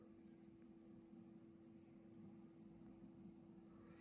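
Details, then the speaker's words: Jaguar XE Ingenium diesel, 136,426 km, ignition on without pressing the brake after a fuel filter change: quiet steady fixed-pitch hum with engine off as the electric fuel pumps prime, a cycle repeated three times. "donc là surtout surtout n'appuie pas sur le frein tu fais que ça et là on entend les pompes qui amorcent"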